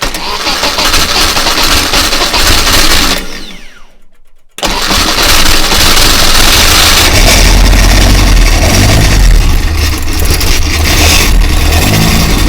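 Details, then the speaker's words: 1120cc engine on the dyno, fuel pump primed, before adding water and warming: spins over, catches and runs crisply with no clicks or clonks; normal start and idle. "that it's alive no clicks and clonks either sounds like it's all going around quite sweetly excellent"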